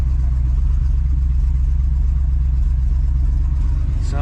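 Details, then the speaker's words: 1968 Oldsmobile 442 V8 with numbers-matching 4-speed manual, fired right up easily before restoration: a steady but deep, loose idle rumble, louder than it should be. The engine sounds good, but the exhaust needs complete replacement. "It sounds good, other than the exhaust. Definitely needs a complete."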